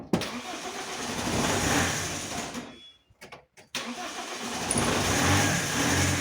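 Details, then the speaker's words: Alfa Romeo 156 1.9 JTD early common-rail diesel, previously crank no-start, sensors and high-pressure pump replaced, fuel system just opened: starts well but can't hold idle, sags, nearly dies, hunts; strong smell. Unstable idle, improves as engine warms. "okay it did start very well but the car has no idle and that that has that fluctuation and it smells a lot by the"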